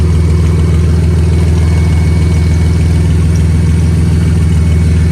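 Loud idle with a fast, uneven puffing tick riding on the low engine drone, typical of an exhaust leak near the manifold. Cause suspected, not confirmed.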